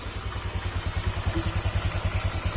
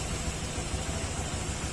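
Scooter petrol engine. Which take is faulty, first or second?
first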